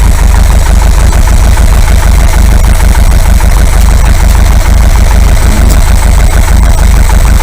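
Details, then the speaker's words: Air-cooled VW 2-litre flat-four bus engine, top-end rebuilt, 2,000 km since; fully warm, chokes open, exhaust gas analyser fitted to check mixture at tick-over. Deep, steady, even beat with no misses or knocks. Normal idle. "Okay, so now that the engine is fully warmed up, chokes are fully open, that's nice and hot, everything is running fine, engine's nice and stable."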